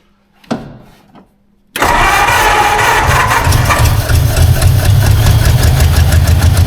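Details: 1952 Ford Crestline engine revived after years sitting, with suspected vacuum leaks and the wiper line pinched off: cranks, catches and settles into a low, slightly lumpy idle at about three pulses a second; sounds fuel-starved.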